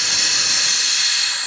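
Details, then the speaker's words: GM truck (Avalanche/Tahoe type) engine running, cover removed: loud steady high-pitched air hiss from a cracked, popped-off vacuum line under the engine cover; large vacuum leak causing shaking, low power, stalling. "if you ever hear a loud air sound coming from underneath your cover that's on top of your engine basically what it means is this little piece right here is popped off here already just cracked and now a whole lot of air and stuff is getting in underneath"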